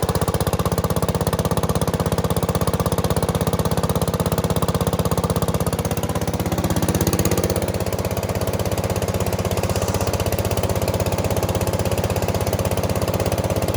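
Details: Bush Hog HD12 tractor single-cylinder engine, after freeing a stuck-open exhaust valve with Kroil, cleaning varnish from the carb, and fitting a new fuel filter and battery: chugs evenly at a steady idle with no knocks or misses. It may smoke while the Kroil burns off.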